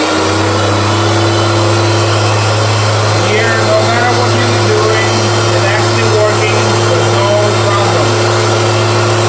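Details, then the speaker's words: Electrolux vacuum cleaner after reseating the hose handle connection, power head plugged in: steady even motor hum, no surging, catching or grinding; now working. "and now you will see that this thing is actually working"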